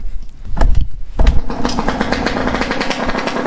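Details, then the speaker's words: Yamaha YZ125 two-stroke after carb air-screw adjustment, sweet spot thought found: two sharp throttle blips, then a crisp, even buzz holding steady with no bogging or stumble; sounds way better than before, runs clean. "let me know how she sounds she sounds way better way better than she used to sound"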